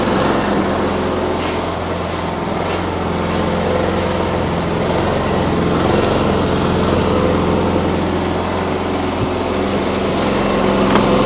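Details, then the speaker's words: Briggs & Stratton P3000 generator after fuel pump replacement and tune-up, premium ethanol-free fuel; steady, even engine drone with constant pitch, no misses or knocks, running smoothly. "Well, that sounds really nice."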